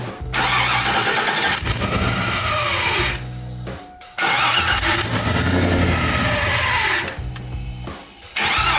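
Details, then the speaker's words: Silverado V8 first start after TBSS intake upgrade, new throttle body, 07–13 fuel rails and bigger injectors, checking for fuel leaks: catches and roars, then sags in uneven surges; rough running because the MAF was left unplugged. "It's gonna run really bad because it has different injectors, but I just wanna check for fuel leaks and make sure it actually runs."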